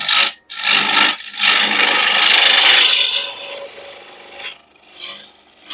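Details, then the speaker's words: Laguna 1524 lathe at 1588 rpm, bone-dry pecan blank roughed with a 3/4 inch spindle roughing gouge; rough rasping knocking cuts in bursts as the gouge catches only the high spots, so the blank isn't round yet. "That sound, that knocking sound tells me I'm not to round yet."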